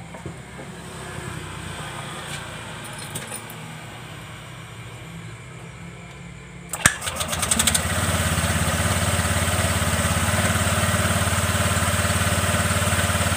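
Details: Honda New Vario 125 LED scooter after light service, including cleaning the CVT rollers and drive belt: short starter crank, then a steady, even idle with no rattles or misses; normal idle.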